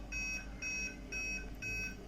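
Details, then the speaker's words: Aquaguard water purifier with red lights stuck on: repeating beeps about two per second, caused by a faulty purity sensor (light-dependent resistor), fixed by replacing it. "so as you can see the red lights are stuck there and after some seconds it will start beeping"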